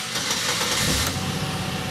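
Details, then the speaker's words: 2003 Chevy Impala 3.4 L V6 idling with an uneven, stumbling beat; misfire traced to one cylinder with low compression, warning light flashing. "can hear like it it just has that homers of that old found one cylinder with fat compression"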